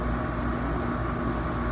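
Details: Home AC outdoor unit after repair, panels refitted: even low hum of compressor and fan with a faint steady tone, no buzzing or clicking; normal condenser operation.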